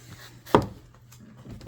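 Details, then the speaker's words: Neon door: two sharp clunks about a second apart as door opens fully; worn door check strap sliding where it shouldn't and knocking, needs replacing. "little stop right here, whenever it comes all the way out, it makes noises. But you can see it's moving where it's not supposed to be moving."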